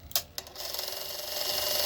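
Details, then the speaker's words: 1984 Sanyo Beta VCR Model VCR 3: two sharp mechanism clicks, then a thin rising whir as the transport strains against the tape; play, fast forward and rewind fail, worn idler tire slipping. "well, it is trying though. And it's pulling against all of this. Whereas as this transport is coming back in, it's putting slack on the tape."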